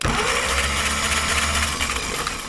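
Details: Caterpillar pony motor starter, previously whirling without engaging, after loosening the bolts and wedging it at an angle: catches cleanly and turns the engine over in a steady fast churn with no grinding; pinion now engaging.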